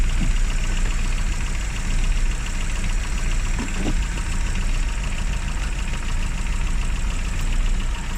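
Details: Classic Rover Mini (Riley Elf), points ignition, after about three months sitting and a hard cold start: steady even low idle, constant rumble, no misses or surging. Normal idle; run at least 30 minutes after a lay-up.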